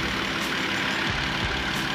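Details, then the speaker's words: Wrecked BMW 325i E90 that sat a while, cylinder 3 coil code, coil replaced: after a restart, a steady, even idle with a smooth low rumble and no ticking. Owner expects the ticking may return and says the coils need replacing. "the ticking went away I just shut the car off I restarted it and no more ticking"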